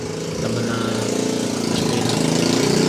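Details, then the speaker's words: Yamaha XTZ125 motorcycle idling after carburetor overflow and hard-starting fix (inlet needle/float valve holder doubled), parked a long time with no more overflow: even putter, steady, no stumbling or hunting; idles cleanly. "Matagal nakaparada, hindi na nag-overflow."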